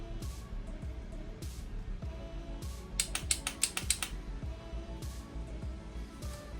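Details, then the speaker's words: Off-brand Chinese pit bike after fitting a cheap Amazon GOOFIT ignition wiring harness: bypassing the horn switch gives a quick run of about seven sharp starter clicks, roughly six a second, with the on/off switch off; cause unknown. "it wants to try to turn over, but the switch isn't even on. It's off now."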